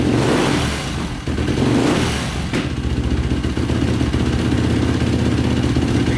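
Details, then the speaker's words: 2005 Yamaha YFZ450 ATV with a 98 mm big bore, run after rebuild. Single-cylinder revs rise and fall with throttle blips, then settle to a steady fast idle with no misfire or stalling. Exhaust glowing red. Normal running. "it's not shutting off either like i did before so that's good"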